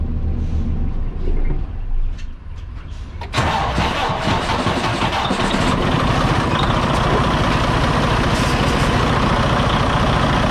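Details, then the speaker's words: 2017 Freightliner Cascadia DD15 diesel, about 800,000–900,000 miles, excessive blow-by: after start it runs loud, rough and lumpy; compression test and teardown found damaged number 3 piston and liner leaking compression. "Yeah, she's definitely running really rough, man. Really rough. All right, guys. So, you can hear that. It does not sound good at all."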